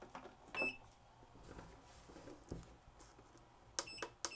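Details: Black & Decker VEC1095ABD battery charger, about 20 years old, after replacing hard-to-push tact switches: a short high beep, a pause, then two crisp beeps; each button press registers cleanly.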